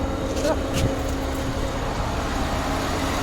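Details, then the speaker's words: Peugeot 607 Z8 phase 1 V6 (ES9J4S) with ZF 4HP20 automatic, after repair of a severe misfire; oil temperature still low, so not revved high. Even, steady idle holding one pitch with no stumbles; RPM now very stable. Normal idle. "So as you can see, the RPM is now very stable."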